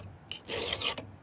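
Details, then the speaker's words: Chainsaw chain being filed: short rasping strokes with a high squeak caused by the wrong file angle; turning the file to about 45 degrees stops it. "right? You hear that squeak, friends? If you want to get away from that squeak, turn your file on a 45 like this."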